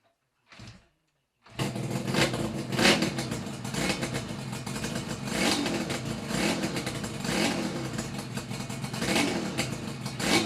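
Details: Yamaha RD350YPVS F2 two-stroke twin on initial start-up after full rebuild (all bearings, seals, rebore); plugs were loose on first run. Catches and settles into even crackle with clean rev blips, no knocks or rattles. Normal running, quiet.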